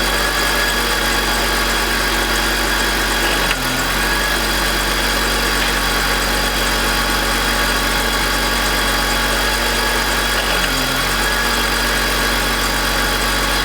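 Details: BMW E46 M52TU B25 at idle: constant gritty grinding with brief rpm drops; suspected VANOS, since the noise and rpm drop are gone with VANOS disconnected; worst at startup.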